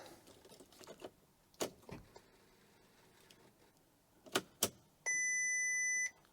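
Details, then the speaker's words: Crash-damaged 6.0 W12 Bentley Continental GT, first key-on after new front end and rad pack: key and handling clicks, then a steady high chime of about a second. Dash shows system fault, please start engine, backrest not locked; owner wonders if battery is flat. "System fault workshop. Right. Please start engine, it says."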